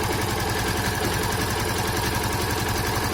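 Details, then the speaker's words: Yamaha Fazer FZ15 (150) single-cylinder at idle with a light, even tapping knock. Rider says it also appears under load, uphill and in low gear. Cause unknown on this newly launched model; owner unsure if it is a chronic or serious problem. "provavelmente é o mesmo barulho que vocês estão escutando tem alguma coisa batendo não sei se é um café um problema crônico"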